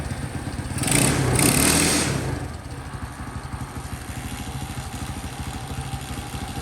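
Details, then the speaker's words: Champion bike, first start after fixing a no-spark fault by swapping the 12V harness, CDI and coil, left to warm up: small single thumps at a slow, slightly lazy idle after a blip; idle likely needs turning up a little. "sounds like the idol might need to be turned up just a little bit"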